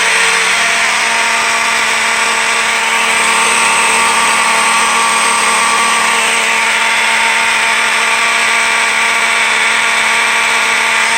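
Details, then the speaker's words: Fire alarm test set to continuous coding and triggered by a smoke detector. A continuous, very loud buzzing horn holds a steady pitch with a gritty rasp; a bad component on the Faraday 6226 horn strobe is blamed. Finding: raspy horn sound. "Yeah, bad component on the Faraday horn strobe. That thing already sounds like crap, so yeah."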